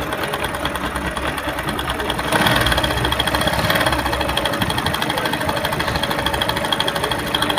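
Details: Bajaj Discover on self-start, with timing chain, tensioner pad and related parts all replaced and oil leaking out: fast, uneven, loud metallic clatter over the idle that persists despite the new parts; top-end rattle at idle, cause unconfirmed.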